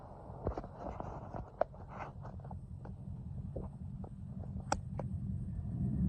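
A low engine rumble with sharp, uneven clicks and knocks scattered over it; source of the rattle unclear.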